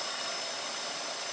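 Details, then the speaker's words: Turnigy Multistar 2209 1200KV Blade 350 QX upgrade motor with carbon fiber prop, mounted upside down on a scale and making about 1.5 lb of thrust. A steady high whir holding one even tone, no rattle or wobble; smooth, normal running. "just sounds so smooth so I saw about a pound and a half of thrust"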